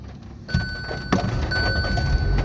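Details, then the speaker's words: Hyundai Aura CNG/petrol car with starting problem and blinking CNG light, fixed by properly locking the fuel door: engine catches within half a second into an even, steady idle over a dash chime; normal start. "ఆ చూడండి friends ఇక నా vehicle start అయిపోయింది problem solve అయిపోయింది."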